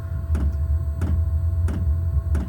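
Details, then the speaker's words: Newly installed diesel air heater in a garage, first start-up: steady low fan rumble with crisp fuel-pump clicking about every two-thirds of a second as it pumps fuel and fires up; normal running. "It's pumping and kicking in. That's the pump. You can hear clicking. Pumping the fuel. And that's it firing up."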